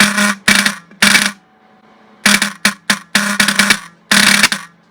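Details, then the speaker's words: Rusty vintage VW bus horn, wire-wheeled and bench-tested in a vise: short bursts of a low, raspy, weak buzz with a rattly edge; something vibrating inside, possibly a backing-out screw, suspected, not confirmed. "oh a little bit kind of a horn [Laughter] sounds about like the whole project looks huh"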